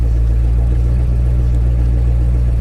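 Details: Chevrolet Camaro SS at a salvage auction listed as a non-runner, good oil pressure: deep, even V8 rumble holding steady without stumbles, ticks or knocks; healthy idle.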